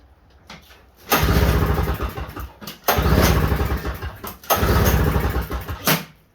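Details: Snowblower sitting about a year, cold start at 33°F with starting fluid sprayed into intake: three cranking bursts, each catching with a rough sputter then dying; engine fails to keep running on starting fluid.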